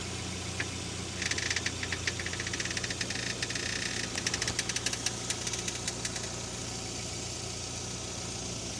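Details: Parked car at idle with a run of sharp, dry creaks and crackles as the steering wheel is turned, then silence. The cause is unconfirmed; worn tie rods, ball joints or strut mounts were suggested.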